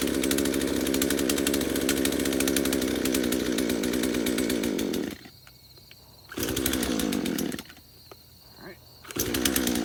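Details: Craftsman chainsaw first start after about five years sitting in a shed: rough, surging high-pitched run that keeps dying to near silence and restarting; poor fuel pickup, only runs with the choke on.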